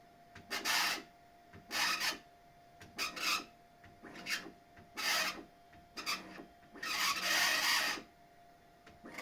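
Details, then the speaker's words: Bambu Lab X1 Carbon 3D printer: raspy squeaking bursts as the bed moves, slightly louder moving up, caused by the belt rubbing against the upper or lower flange of its idler tensioner pulley. "Здесь стоит такой ролик, натяжитель вот этого ремешка. И при движении вверх-вниз ремешок начинает прижиматься или к верхней, или к нижней кромке."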